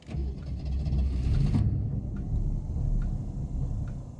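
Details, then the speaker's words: 1981 Mercury Capri, 200 inline-six, broke down after Seafoam used to clean gas tank: uneven low starter churning, starts then immediately dies, no response to throttle; cause unconfirmed. "so I try and start it it'll start but then just immediately die"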